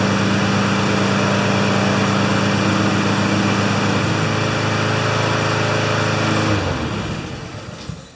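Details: Two Honda mowers after a tune-up (blades sharpened, oil changed, spark plugs cleaned, new air filters, wheels oiled): humming steadily at an even speed for six seconds, then winding down cleanly; both run healthy.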